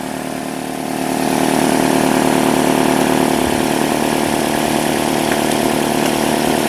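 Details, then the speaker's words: 2005 Nissan Altima 2.5L 4-cylinder after replacing spark plugs, coils and valve cover (oil had leaked into plug tubes causing misfires): catches within a second, smooth even idle, no ticking or rough pulses; normal idle. "that's looking good sounds good"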